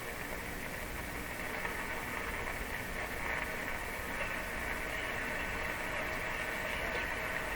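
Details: Philco 38-C7 tube radio on shortwave near 9 MHz after replacing decoupling capacitors: constant hiss and crackle with a faint station barely poking through; weak reception in static.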